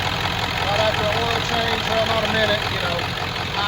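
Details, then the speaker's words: 1996 Ford F-250 4x4 7.3 Power Stroke diesel idling just after an oil change, checking for leaks: steady, even diesel clatter with no knocks or misses; oil pressure took a minute to come up as usual; engine sounds healthy. "all right so we fired it back up sounds good took a minute for the oil pressure to come up it always does"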